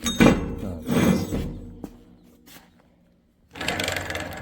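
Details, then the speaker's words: Hardi 363 sprayer pump bearing spun by hand after removal: gritty, uneven rattle and rough rotation, a worn bearing on its way out. "Well, that's that one on its way out."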